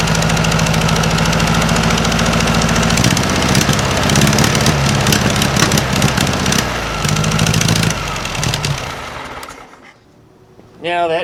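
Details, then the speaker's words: 1956 VW Beetle engine at idle after a swap from Weber to a Solex 34 PICT 3 carburetor: a quick puffing tick on every firing pulse, not valve clatter. Exhaust is leaking at the heat riser flanges, which have no bolts fitted. "it's a little bit of a Papa Papa Papa Papa sound it's not valves that sound you're actually hearing is the heat risers right here because I don't have the bolts in either side so you're hearing that popping"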